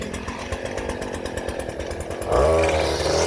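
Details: New Stihl FS 56 RC trimmer on correct 50:1 fuel after running a 20:1 mis-mix that caused hard starting: catches on one pull and settles into clean, steady high-pitched buzz without sputtering or dropouts; running properly.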